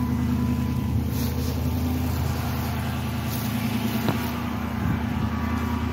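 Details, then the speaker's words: 2006 Chrysler 300 after serpentine belt drive work, cold idle the next morning, after the owner's complaint of loud belt squeal on cold startups: even, steady idle with a smooth low drone and no squeal or chirp; normal cold idle. "So far, so good. I'm not hearing anything. Sounds good to me."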